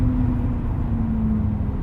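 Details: Mercedes W211 E320 CDI, braking from 160 down to 80 km/h after the car sat a long time with rust film on the brake discs: steady low howl sliding lower in pitch as the car slows, over road rumble; brake howl, cause unconfirmed.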